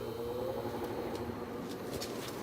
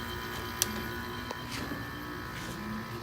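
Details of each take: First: Sears window air conditioner, fan on middle speed; only a faint low steady hum and soft whir, no knocks or rattles; compressor running quietly and normally. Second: Window air conditioner with rotary compressor on middle fan speed, fan bearings slightly bad; rough buzzy hum with tone slowly stepping up and a few clicks, compressor loud and slow to build pressure.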